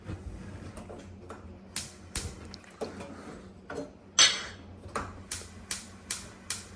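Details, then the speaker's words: Ultraline gas oven top burner igniters after the burners were cleaned with a steel brush: sharp snaps settling into a steady two to three ticks a second. Normal sparking; the intermittent ignition needed cleaning and nipple alignment with the igniter. "if if you can hear this kind of spark noise noise there's really nothing wrong with your oven the only thing wrong is that it just needs clean up"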